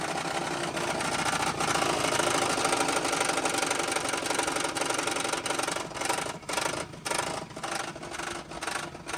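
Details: Car engine at idle, owner theorizes reversed flex-plate; sharp regular tick about twice a second, revs dipping now and then, quiet when given gas, exhaust suspected: clicking at idle, source unconfirmed.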